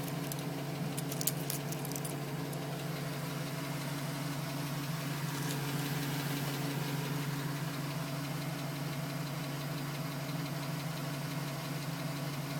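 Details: 2010 GMC Sierra with 2000 miles, cold start: light, regular tapping about three per second over low steady idle, still at 4 minutes, stops at 5 minutes 42 seconds when warm; owner suspects piston slap, unconfirmed.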